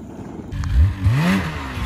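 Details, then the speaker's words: Snowmobile after crashing into a wall, revving in short bursts: harsh metallic scraping as the clutch grinds on a bent bulkhead. "if you hear that metal grinding that's the clutch grinding on the ballhead and that means he definitely bent some stuff"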